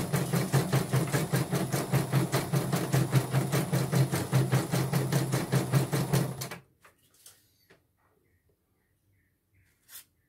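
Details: Portable embroidery machine (came in blank screen, dead touchscreen, hoop not positioning, unable to embroider) test-stitching after mainboard replacement: even stitch clatter about two and a half per second for six seconds, then stops; normal stitching.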